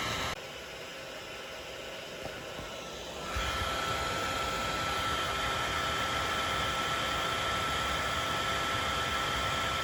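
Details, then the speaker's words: Dell OptiPlex budget gaming PC, after the CPU fan was disassembled and cleaned, recorded on an iPhone: a steady rushing fan roar that jumps louder a few seconds in and holds, with a thin constant whine; the CPU fan is still excessively loud. "I tried again and fan noise was still happening uh I'll try to show here I'm using my iPhone to record The Fan noise not sure if it's really coming across how loud it really is take a listen"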